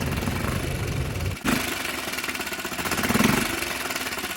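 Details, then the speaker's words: Hangkai 6.5 hp four-stroke outboard that had been flooding, refitted with a modified Yamaha 6 hp carburetor: rapid popping beat that dips then swells as the carburetor adjustment screw is tuned. "sounds like we need to make some adjustments to the carb you got to really hone in on those listening skills and focus on what the engine is doing while staring at that little tiny adjustment screw for the air vent"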